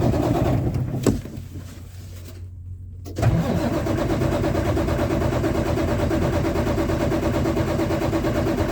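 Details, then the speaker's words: Kenworth diesel truck unused for a long time, after starting-fluid spray: starter turns the diesel about three beats a second without catching; cranks but won't start, owner suspects a packed fuel filter. "Must have something to do with the filter. I'm gonna go ahead and spray another shot."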